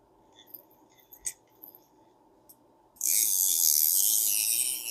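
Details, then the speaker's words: Vintage Garcia Mitchell 410 high-speed reel after cleaning and repair: a few light clicker clicks, then smooth even whirring when cranked, no bearing noise, just normal gear noise. "feels good I don't feel any bearing noise just that got that noise from the clicker they have a lot of gear noise anyway but it'll get smoother as it gets used"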